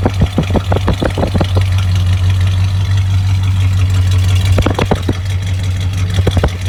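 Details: Truck idling right after installing a replacement carburetor, rebuilt in August 2019 and shelved over a year: deep, steady even rumble, a few handling knocks at start and middle; engine idles normally.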